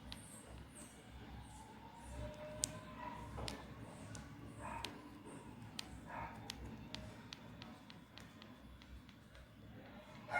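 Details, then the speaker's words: Newly unboxed Samsung Galaxy M30s phone: sharp irregular little clicks and creaks each time the back panel is pressed; owner blames poor build quality, cause unconfirmed. "तो ये आवाज़ आ रही है इधर से। इसमें बहुत ही बड़ी ये दिक्कत है।"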